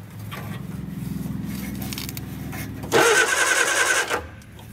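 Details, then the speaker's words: Barn-find Austin-Healey Sprite, running on just a battery, oil line plugged since there is no oil pressure gauge: pulling the starter cable spins the engine at an even, brisk rhythm for about three seconds with no binding. Normal cranking. "now let's pull the starter cable see if the engine turns"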